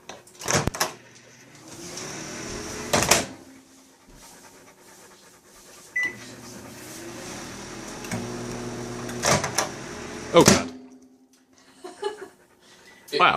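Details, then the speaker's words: GE microwave that turns on by itself: door clunks, then steady magnetron hum starts and keeps running with the door open; door interlock fault. "it sometimes works as soon as you open the door it's not always like that though oh God it turns on and the thing starts cranking you can hear it turn on"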